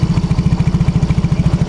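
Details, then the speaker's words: Yamaha X-Ride scooter at idle, feeling heavy and lacking power, with air filter torn: fast, hard, uneven banging pulses at about eleven a second and a pungent, eye-stinging exhaust. A clogged injector spraying unevenly is causing the rough idle. "suara mesinnya ini ngebanting ya suara mesinnya ngebanting pokoknya saat posisi Tensioner dia tidak normal ya"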